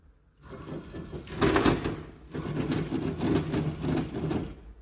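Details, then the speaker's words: Daewoo Nexia alternator with the belt removed, spun by hand: gritty, rattling grinding in uneven bursts with each spin. The alternator bearing is worn and breaking up. "приветствуйте друзья у нас похоже генератор поч генератора вот такой вот звук сейчас будем выяснять"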